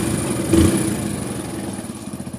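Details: Hero Splendor Plus single-cylinder bike after fixing timing chain noise without opening any nuts or bolts: brief blip, then soft, even putter at idle with no chain rattle or ticking; healthy idle.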